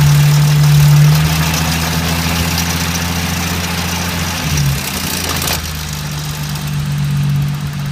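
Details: BMW E30 with S52 six-cylinder engine at idle: loose uneven tapping about twice a second over steady hum; horrible engine noise, cause unknown.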